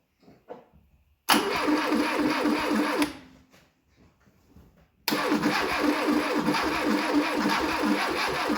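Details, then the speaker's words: 1972 Fiat 850 Sport Spider, sitting 22 years: fast cranking catching into a brief rough run that quickly fades, running only on priming fuel poured in; fuel supply lacking. "Oh, we might have a runner. I think we put just the wrong amount of fuel down it, so she sounded pretty good."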